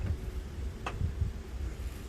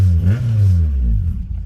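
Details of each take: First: K24A-swapped DC2 Integra on E85, first-ever start after fresh oil and filter: irregular cranking bursts with uneven firing that never catch into idle, then a hiss; crank-no-start from mixed-up timing sensors. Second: K24A-swapped DC2 Integra on E85 with stock injectors, full 3-inch exhaust, XD1 release bearing slightly noisy, cold start after tune: deep low rumble swelling with a couple of quick throttle blips, then settling; clean-running, healthy.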